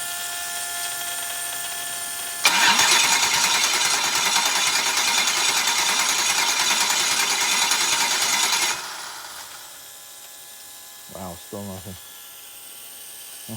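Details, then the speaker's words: Freshly prepped engine (new alternator, tensioner, serviced injectors), cranking after new crank position sensor fitted: starter whirrs about six seconds with even compression pulses but never fires, no spark; later found two bad crank position sensors. "all right now I'm baffled it's going to be something simple though I'll check for spark on uh on all the wires and just keep going through the basics we'll see what happens"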